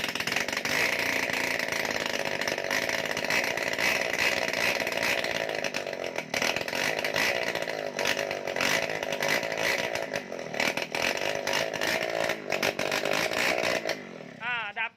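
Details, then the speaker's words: Water-pump engine converted for a boat, long-stored, started by hand with the carb choked. It runs with no exhaust fitted: a loud, raspy, chainsaw-like buzz with sharp crackle. "มาแล้วครับมาแล้วนี่ครับรถยังไม่ใส่ท่อ"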